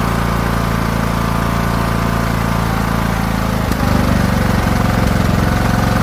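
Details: Craftsman T1600 riding mower after new carburetor replacing a corroded one, fresh fuel, mowing: steady drone that shifts pitch and rhythm partway through, uneven speed under load; surging, cause unknown to the mechanic.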